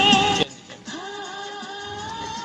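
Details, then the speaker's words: Single-IC 6283 audio amplifier (woofer) after repair, previously crackling when switched on; volume control tightened, now music and singing play steady and clear with no crackle when volume is changed, amplifier sounds normal. "तो देखिए बाजा हमारा एकदम ठीक हो गया है volume बदलने से हमारे आवाज में खड़ा भी नहीं है और अच्छी आवाज भी आ रही है"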